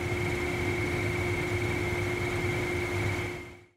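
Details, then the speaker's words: Belt-drive furnace blower: steady high squeal over the blower's rushing hum from a V-belt that is worn, dirty, misaligned or slipping; fix is cleaning, aligning or replacing the belt. "Some furnaces use a belt drive motor. These belts can wear down over time. If the V-belt gets dirty, is out of alignment, or if its slipping, then it can start squealing."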